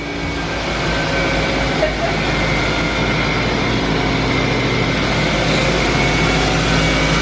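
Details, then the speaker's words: 2006 Pontiac Vibe after owner replaced the failed starter and reconnected battery: engine catches and settles into a smooth, even idle with no grinding or misses; sounds great. "But oh my gosh, it sounded so great."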